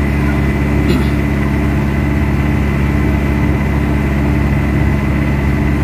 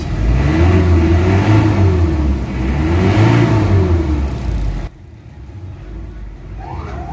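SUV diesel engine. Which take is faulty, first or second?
second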